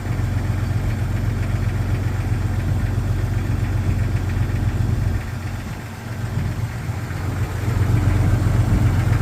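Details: 1999 Jeep XJ Cherokee at cold start idle: fairly regular hollow knock, about four a second, over low engine rumble; piston slap suspected, not confirmed.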